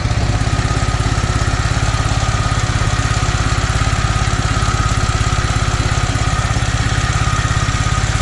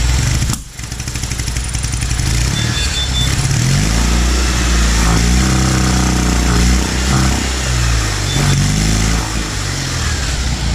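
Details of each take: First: Toro 2CV twin running again after starter rework, with a suspected non-working primary choke in the carburettor: even, steady tick-over with a regular low pulse, no knocks or misses; idling smoothly. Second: Citroën 2CV flat-twin rises and falls unevenly in pitch, stumbling as the throttle opens before picking up. The owner is convinced the carburettor's primary choke is not working and later found the carb fault.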